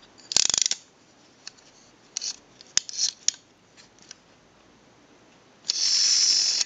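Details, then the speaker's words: AE candlestick telephone rotary dial with contacts not yet fitted: crisp, quick ratchet clicks in short bursts, then an even whirr on return. It works properly; no ratchet sound would mean a missing or misinstalled key or a bad spring. "if you do not hear that ratcheting noise when working on a dial like this that means that the key is missing or it's installed improperly or the spring is bad you have to hear that ratcheting noise when it's working properly"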